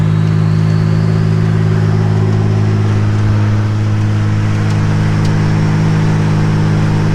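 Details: 1985 Nissan 300ZX Turbo (Z31) driving under load, after misfire under boost, new plugs and wires and fixing vacuum/boost leaks: steady deep drone, loud booming exhaust, no misses or knocks; pulls cleanly, builds boost.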